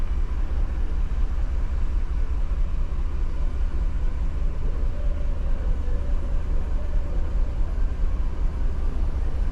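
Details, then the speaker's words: 2015 GMC Yukon 6.2 V8 idling with uneven stumbling beat and periodic drops in firing; began misfiring after refuelling; scan tool shows P0303, cylinder 3 misfire, with some history on cylinders 1, 4 and 7. "Echó gasolina y dice que le empezó a fallar. Con Misfire."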